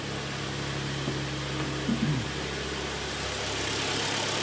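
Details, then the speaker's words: 2013 pre-facelift Hyundai ix35 with G4KD engine, AWD automatic, about 122,000 km, after piston-scuffing repair with full timing kit replaced. Heard from outside at idle: quiet, even, soft steady hum, no tapping or knocking; normal idle. "работает ровно работает тихо"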